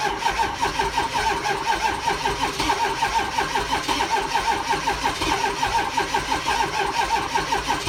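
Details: 6.0 diesel engine, before bulletproofing, cranking steadily at about three compressions a second for eight seconds without catching; crank no start.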